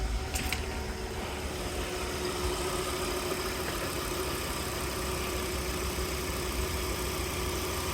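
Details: '98 Volvo V70 GLT AWD manual, petrol, after fixing problems starting, idling and revving: engine now idles steadily and smoothly in neutral, no rattle or knock over the low hum; it rattled badly before.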